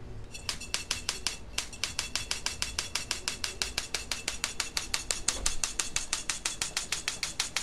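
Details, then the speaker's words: Homemade jet engine igniter unit built from an old BTH igniter box with a capacitor bank; sharp snapping sparks about six or seven a second at the igniter plug, with a thin squeak from the choke coil. Normal igniter spark discharge. "And the squeaking noise that you can hear is actually the choke, which is that coil of wire there."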